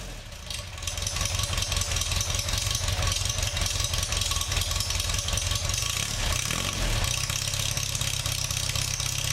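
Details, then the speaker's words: Formula Ford race car engine, in for a misfire, stone-cold first start; it catches straight away and settles into a steady, even idle, a normal cold start. "thats pretty good pretty happy with that I think uh that started straight away really surprised with that"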